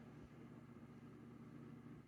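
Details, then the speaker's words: Honeywell TurboForce Power 2-in-1 tower fan from about 2008, top unit on low of two speeds: soft steady whir and even hum, no rattles or rubbing; top fan runs really well. "so we'll start them up on low to two speed they're both two speeds there goes the top one"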